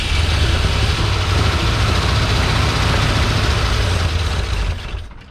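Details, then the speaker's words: Long-abandoned 1971/72 Ford Mustang in a wrecking yard, fed starting fluid: catches, runs ragged a few seconds, then dies, sounding out of fuel; later run on a new fuel line into a jerry can, fuel pump suspected. "a gas could really be that simple sounds like we're running out of use yeah need that booster pack let's try it again"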